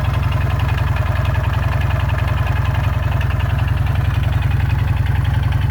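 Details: Jawa 350 two-stroke idling with a steady, even knock at about 3.5 per second over the exhaust beat, getting worse every day. The owner suspects the crankshaft and/or connecting rod; not confirmed.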